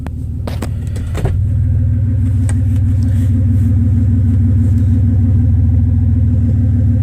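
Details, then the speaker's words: 2000 Toyota 4Runner, muffler off, idle: loping stumbling beat about four times a second, one cylinder dead; P0301 after swapping coil from cylinder 5 to 1 (earlier P0305) confirms bad ignition coil misfire. "the coil did go bad apparently the cool is or the coal is bad so that was interesting"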